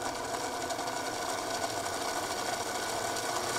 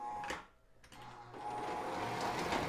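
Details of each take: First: O gauge diesel locomotive (Lionel or K-Line) motor run on the bench after greasing the plastic gears with moly grease: smooth, even motor hum with a light steady whir, no grinding or rattle; sounds much better than before. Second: O gauge diesel locomotive (Lionel MPC/LLC or K-Line) under test: the motor whirs, skips and cuts out, then picks up unevenly, with squeaking and no immediate direction change. Sticky or dirty reversing unit suspected.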